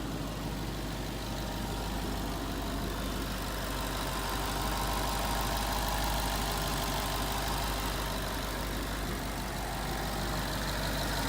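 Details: 2011 Ford Mustang GT 5.0 Coyote V8 with Roush exhaust at first start in an echoey garage, after all eight rod bearings (King CR868SI) and TTY rod bolts were replaced and 5W-30 added: steady, even idle, deep burble; earlier tick and knock gone.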